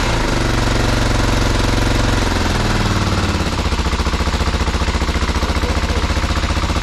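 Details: BMW F650 (Rotax 652cc single) running after its carburettor was rebuilt and refitted; lumpy, stumbling beat settling into a heavy loping thud; owner says it runs extremely rich, air screw setting uncertain.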